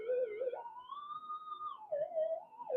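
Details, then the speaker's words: Modded Minelab GPZ-7000 metal detector indoors; warbling electronic tone sliding between pitches with no mechanical sound: coil picking up 50 Hz mains interference from house power cables, coil reorientation not helping. "sometimes you can orientate the coils perpendicular to the noise source and the noise will go away but it's 50 hertz it's everywhere so it's just a power power uh power cables going through the house is causing all this um problem"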